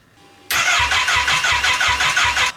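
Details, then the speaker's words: Wrecked Kawasaki Ninja H2 motorcycle engine bought on eBay, kickstand switch wiring uncertain: starter spins it steadily at about three compression pulses a second but it never catches; cranks but no start, no spark. "yeah we we need we need to see if it's getting a spark or not"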